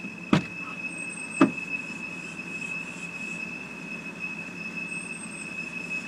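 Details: 2007 BMW 328i automatic, parked at idle: steady high-pitched teapot whistle with sharp clicks, idle fluttering 600-700 rpm and jumping on braking, stalls when stopping; sounds like a vacuum leak, owner told possibly crankcase vent valve, unconfirmed.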